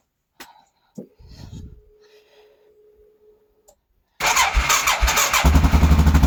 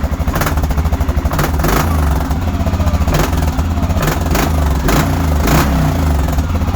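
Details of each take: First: Quad not started for a while, battery a little dead: brief sluggish low starter churning, took a couple cranks, then catches once cranking fast enough and settles into quick steady beat; slow cranking from weak battery. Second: Quad, just started and warming up (needs new belt, squeaks on take-off): steady brappy single-cylinder idle with crisp throttle blips and clean return each time; normal idle and revving.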